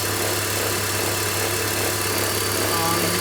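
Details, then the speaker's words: BMW X3 idling with a constant low buzzing vibration drone and belt-drive hum that goes away when revved; water pump (likely original) has play and tensioner chatters, both replaced with OEM parts along with idler pulley. "So this is the sound that it's making. It's like a vibration noise. It goes away when you're revving up the engine. So I'm suspecting that it could be the water pump or the tensioner."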